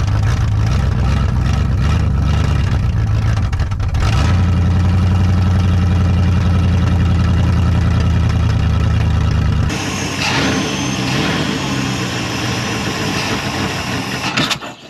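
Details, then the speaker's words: 1974 Dodge Monaco V8 barn find parked since 1990, running on carburetor: steady deep even rumble with no knocks or misses; engine sounds good and healthy, carburetor still needs a rebuild kit. "I didn't need all that hair on my hand though that engine sounds good and healthy"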